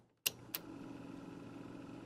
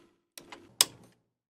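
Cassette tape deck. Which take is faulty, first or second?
first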